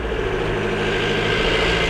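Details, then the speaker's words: Ford VH Transit diesel labouring uphill under load with loud tractor-like diesel knock and power loss, top speed about 60 mph; code P0149 fuel timing error, injection not advancing from a faulty diesel pump timing solenoid, so it starves of fuel. "you can hear it there like it's struggling to get up the hill but yeah because it's not advancing its fuel injection um it's pretty much just starving of diesel and that's why we're getting the diesel knock instead of a nice clean diesel burn"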